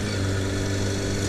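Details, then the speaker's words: Kawasaki motorcycle at steady idle with a light, even top-end tick that has worsened over time and goes away when fully warm; owner suspects a typical Kawasaki tick, operation unaffected. "in comparison it sounds like that Tick's gotten worse through time so I might BR in and have that looked at just kind of like an engine knocking"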